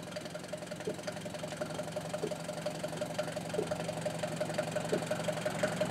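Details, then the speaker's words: Mercedes 200D taxi-model diesel just recovered from a forest, driven to assess damage: light rapid ticking clatter about three per second from the rear, quickening with road speed; something loose, owner fairly sure it is the brake. "Aika, aika eksoottinen kolina kuuluu. Kyllä mä, aika eksoottinen kolina kuuluu tuolta takaa, mutta kyllä mä luulen, että se on tuo."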